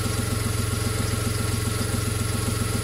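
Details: VW Polo whose alternator had stopped charging, repaired for free, regulator connected; now charging with no more dropouts, new flex pipe fitted. Steady, even idle with a regular beat of about 220 per minute and no misses or stumbles; smooth after the repair.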